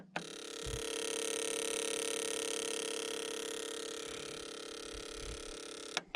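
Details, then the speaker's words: 1992 Ford F150 old dirty fuel injector on a tester in continuous pulse mode: steady, even high buzz from rapid pulsing with no dropouts; this injector opens and closes properly. "okay so that injector's working it's opening up and closing"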